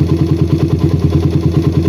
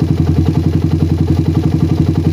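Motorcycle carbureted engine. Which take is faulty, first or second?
first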